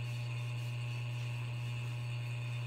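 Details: Hampton Bay ceiling fan running with a steady low hum, thin metallic buzz and faint jingly rattle from a loose glass globe; tightening the globe set screws made it quiet.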